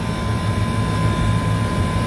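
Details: Walk-in cooler condensing unit just restarted after a contactor, compressor and TXV were replaced, before the refrigerant charge is topped up: smooth, even low hum with steady tone and no knocks or rattles; compressor running cleanly.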